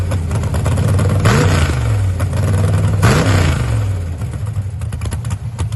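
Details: Holley EFI 5.3 LS V8 in a Camaro lumps along unevenly at idle with two short throttle blips; the beat stumbles rather than pulsing evenly, a misfire. Owner suspects a corrupt ECU file and plans a firmware reinstall; cause unconfirmed.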